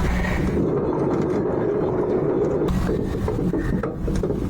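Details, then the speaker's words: Hustler Raptor SD zero-turn mower deck spindle turned by hand, which kept throwing its deck belt: a rough, dry rasping growl, not a smooth spin; the spindle has no grease fittings and is about to come apart; worn spindle bearing. "I checked these spindles and I'm not finding grease fittings anywhere on these. That's a lot of growling noise I'm hearing."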